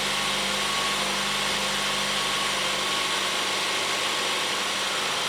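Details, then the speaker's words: 2013 Ford C-Max Hybrid after a spark plug replacement: a steady, even engine hum with a faint low tone and no misses or stumbles; a smooth, healthy idle. "She definitely feels and sounds like it's running smoothly."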